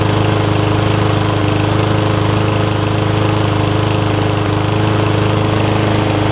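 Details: Yard Man front-wheel-drive self-propelled push mower with Powermore engine, long-sat, carb cleaned except the top jet, fresh gas, oil full but dark: steady, even single-cylinder putter at constant speed, no misses or surging; runs smoothly.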